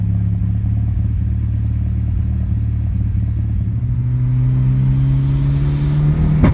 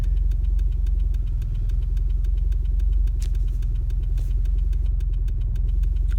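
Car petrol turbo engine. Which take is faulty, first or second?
first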